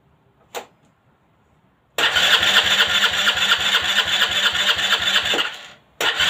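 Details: Aprilia Leonardo 125 scooter after a long time without starting: starter spins with a steady chugging beat about three seconds, pauses, cranks again; engine never catches, crank no-start.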